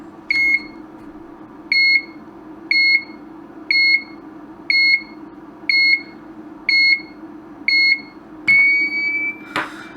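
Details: Broken LED dot-matrix scrolling sign on 5 V bench supply, after fitting a new CR2032 3.3 V battery: sharp high beep about once a second keeps sounding at power-up, no change; owner then suspects a failed capacitor.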